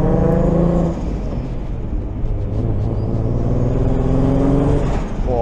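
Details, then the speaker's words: Car with a lumpy, uneven idle and a throbbing, off-beat exhaust note, as if a cylinder is dropping out. The owner suspected a massive exhaust leak, but the exhaust shop found it was not an exhaust leak. "If it sounds obvious to you, but that idle does not sound good."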